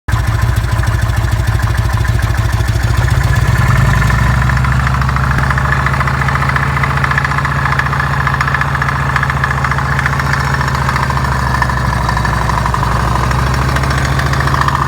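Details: Harley Evolution V-twin, just rebuilt with new lifters, pistons and rings and re-honed cylinders, idles with a loping beat and a strange mechanical noise owner thinks comes from the front cylinder top end; cause not found.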